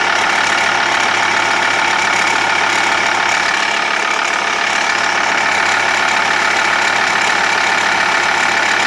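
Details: TDI diesel idling with steady light ticking, about three clicks a second, over normal clatter; persists after crankshaft pulley and tensioner replaced, timing belt changed 20,000 km ago.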